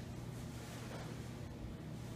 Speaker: And let's start it up. Here's high. This one is silent.